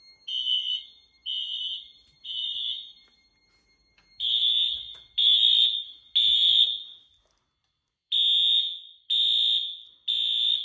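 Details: 2000s Wheelock AS horn on a Fire-Lite MS-9200UDLS panel running on battery with AC unplugged: sharp high blasts about once a second, each a clean steady pitch with no wobble; the horn sounds right.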